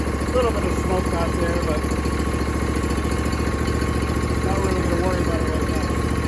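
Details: John Deere D125 twin-cylinder mower after tune-up and bent pushrod fix: steady, even idle with a regular low thump, no knocks or misses; runs smoothly, with slight exhaust smoke.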